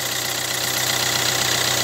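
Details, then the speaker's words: Hyundai Accent Blue petrol engine, cold start at about -4 to -5°C, idling: bright hissing, fast ticking chatter from the accessory belt drive, not the timing chain; belt to be replaced at 150,000 km. "y çalışır çalıştırmaz şurada bir Kay sesi duydum Hemen dedim video yapayım bu kayesi ile ilgili"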